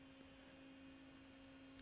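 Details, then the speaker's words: Tesla Model Y front induction motor whining steadily while scavenging heat to warm the battery, rear motor propelling, front showing 188 ft-lb torque; faint high whine over lower constant tone, audible outside too, normal and may prompt customer complaints. "And as we're driving, the rotor is spinning through those magnetic fields. And you're going to hear this whining. And you may hear the whining on the outside of the car."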